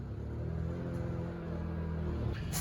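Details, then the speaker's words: Honda EU2000i inverter generator in eco mode, just rebuilt, under a 1500 W heater load: low drone wavers and dips unevenly, engine struggling, power kicking out and stumbling on itself; runs fine unloaded; carburetor gaskets fitted in the wrong spots. "the generator is struggling to keep this thing running you can't see the power go out it's going to stumble on itself"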